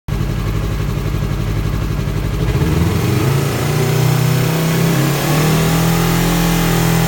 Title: Yamaha R3 buzzing noise at 5500 rpm